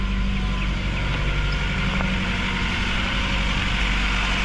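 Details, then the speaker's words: Mazda 3 after top overhaul following overheating, no check engine light; warm idle uneven and lumpy with shaky low rumble and strong vibration felt in the body; dead spark plug, ignition coil or injector suspected: rough idle. "Ayan naano nio yung vibrate so nagc start siya pero sobrang yanig yung makina Mararamdaman mo rito sa body"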